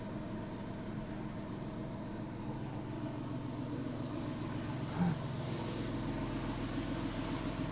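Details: Porsche 997 S idle after serpentine belt, tensioner and lever replaced and threads repaired: even, steady idle with no ticks, knocks or belt squeal; belt deflection minimal, healthy.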